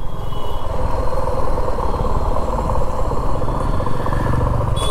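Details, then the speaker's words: 2024 Suzuki V-Strom motorcycle while riding, revs falling off throttle: dense uneven mechanical knocking clatter; Suzuki staff call some sound normal as rpm drops, the owner says it is excessive; cause unknown. "आप यह जो knocking की sound आ रही है"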